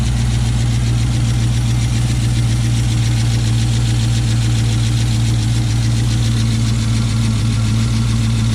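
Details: 2006 Chrysler 300 SRT8 V8 first start after aftermarket camshaft install, untuned; steady even low rumble, no knocks or misses, relatively quiet, expected quieter as lifters pump up; normal idle.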